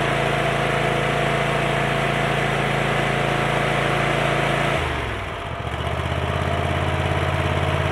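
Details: Kohler 7000 series 24 hp V-twin after repairing a dead cylinder (mouse damage, ignition coil checked, plug wires tucked, air filter cleaned), at full throttle: strong even drone with no misses, then clean slowdown; normal running at full throttle.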